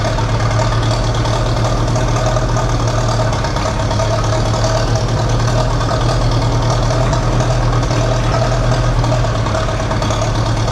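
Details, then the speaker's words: Massey Ferguson TEA 20 tractor after Zenith carburetor rebuild, restarted without choke: even, steady low idle with a smooth beat and no misses; runs clean, normal idle. "That's freaking awesome. It runs like really well, actually. Nice. And it sounds good."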